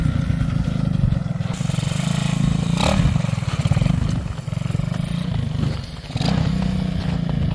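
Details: Honda XL185 barn bike after its very rich running problem was worked out: even, steady single-cylinder thump at a settled idle with no misses; normal idle.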